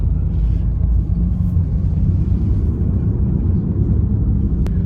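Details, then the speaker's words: Wide-body 2JZ-swapped FR-S driving: steady low drone and rumble persisting after ruling out a slightly bent wheel; owner thinks a worn wheel bearing. "All right, so still making noise. So we know it's not the wheel being just slightly bent. So I'm gonna dig in a little farther and figure out what this problem is. I think it's gonna be a wheel bearing, just cause like how it sounds."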